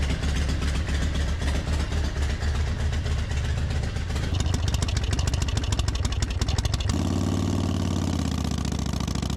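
Even, loping V-twin idle with a steady beat and one short rev, no stumbling or misses; the engine runs smoothly.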